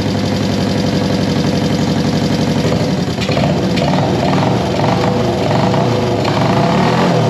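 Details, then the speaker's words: 1973 Honda CB350G twin with newly fitted Mikuni VM28 carbs: steady pulsing beat, picks up cleanly when blipped; sounds pretty good, carbs still need fine tuning. "sounds pretty good sounds pretty good let's hit it again i need to tweak it a little bit but now that we've got fuel to it take a little while to get some fuel to it"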